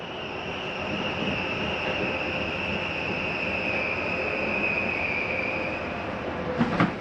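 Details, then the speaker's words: Flagstaff 8529IKSB slide-out retracting: even high motor whine, then a brief sharp rattle at the stop, the normal end-of-travel sound of the slide mechanism, not grinding. "i want to mention that noise you heard at the end of the slide coming in don't panic when you hear that noise it's okay to hear for a second or two it's just the slide mechanism telling itself not to come in any further"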